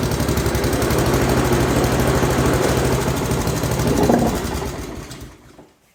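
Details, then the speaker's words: Pubert wheeled brushcutter with Honda GCV160 four-stroke engine, after repairing a broken exhaust valve rocker arm that caused low power, plus tappet adjustment and oil change: fast, even single-cylinder putter, no misses or knocks, then shuts down; normal running. "Ahora suena como suena un motor de estos normal."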